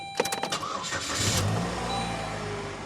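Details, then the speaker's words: Saturn car that sat in a barn for about a year, restarted after the battery was reconnected and being run to warm up: a few quick cranking beats, then it catches cleanly and settles into a smooth idle. It is a healthy start. "And like I said, I just wanted her to get some temperature in her and then she'll be fine. She'll be good to go."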